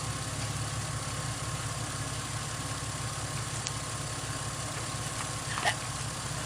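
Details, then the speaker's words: 2005 Ford Mustang, rebuilt and retimed engine after first start: runs quietly and evenly with no knocking, ticking or stumble, smooth and healthy. "Hell yeah, guys. It's smooth. Really smooth. Sounds real nice."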